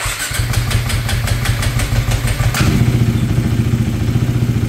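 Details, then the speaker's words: KTM 390 Duke single during idle relearn: catches with a blip, then uneven lumpy idle with stumbling beat; rough running after start. "that sounded rough [Music] [Music] all right still running rough going to add some more fuel"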